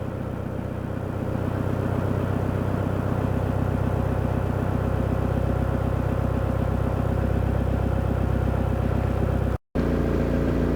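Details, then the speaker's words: VW/Audi 1.9 TDI diesel at steady low idle after timing belt replacement, fuel pump quantity regulator change and pump timing adjustment: smooth even clatter, no misses or shaking; injection quantity about 2.8, runs nicely, fixed. "So it's done. It runs nicely now, no vibrations, everything seems fine, and injection quantity is about 2.8, and it should be in this range."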